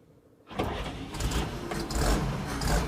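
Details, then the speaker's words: 1950 Chevy truck stovebolt six after new valve cover gasket, plugs and valve adjustment, started on choke in neutral: catches within a second, settles into a steady, low, even rumble, no misses or knocks; leak sounds better. "Oh my gosh. Started right up. I can already tell the leak sounds better, too."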